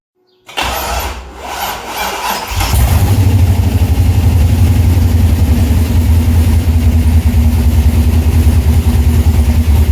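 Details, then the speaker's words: Chevrolet C6 Corvette with junkyard engine and Terminator X ECU, after fixing power so injectors get clean power: brief crank, then it catches and settles into a deep, even idle rumble; normal idle. "But the car starts now and runs, and I guess we will see what happens after that."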